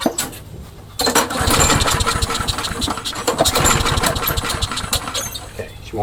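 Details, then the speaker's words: Craftsman push mower: repeated pull-cord cranking with ragged chuffs that never catch; won't start, likely because the carburetor gasket leaks. "won't start. Let's try priming it. Give it a try. I don't think it'll start, though. Yeah, I'm going to have to replace that. Do a better gasket."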